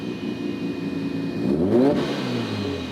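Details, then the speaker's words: Engine with a new turbo at about operating temperature; revs climb, then a sudden pop and rush of air as the hose-to-hose intercooler connection blows off under boost, the weakest link in the setup. "Oops, I blew our intercooler pop. Yeah, so we popped off the hose-to-hose intercooler setup, which of course was going to be the weakest link."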